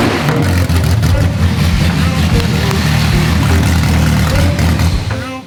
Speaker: ready instantly it was better it was running on all eight